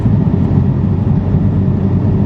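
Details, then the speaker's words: VF Stage 2 supercharged car in a high gear at low rpm, around 1,500 rpm, pedal floored: deep uneven rumble and strong vibration with no rise in pitch, not accelerating; appears only after driving a while; low-rpm full-throttle shudder. "yeah, it's just, you can feel the vibrations just going crazy. That is floored and it is not accelerating. It's just flat out not accelerating."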